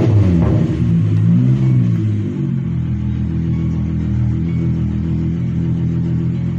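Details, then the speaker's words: Mk3 VW VR6 with intermittent misfire and hard starting, owner suspects the coil pack: a short rev falls back to a low, even idle with no stumbles; it is not misfiring right now and idles smoothly. "Like I said, if it does it, stops doing it. Like now, she's idling smoothly again."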